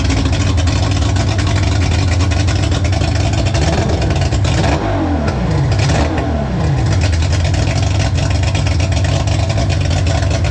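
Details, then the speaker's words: Mercury 3L outboard (225hp carb-to-250hp EFI swap), first start after a mechanic checked the work: catches and runs, revs rise and fall smoothly with clean pickup. The carb slide opens only when the secondaries kick in at full throttle; healthy. "we have success on the bado front there the slide wasn't opening up but the guru has let me know that that's when the secondaries kick in when you floor foot to the floor we're in business"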